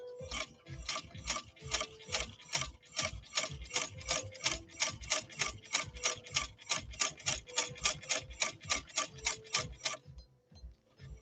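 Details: India-made replica sewing machine, flaw fixed, sewing two layers of veg-tan leather: crisp, even ticking at about three stitches a second, steady with no knocks or binding; sewing cleanly.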